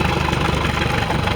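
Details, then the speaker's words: Caravelle boat inboard after carburettor tune for lack of power: even, steady low rumble with no misses, knocks or surging, running well; the circulation (water) pump has a hole and sprays water intermittently. "Okay. Sounds like it's running pretty good."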